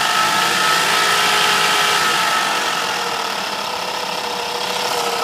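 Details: Mercedes W210 E430 V8 at idle: a fast, fairly even ticking rattle with a steady high whine on top; the owner wonders about the alternator, another pulley, the chain tensioner or low oil; source unclear.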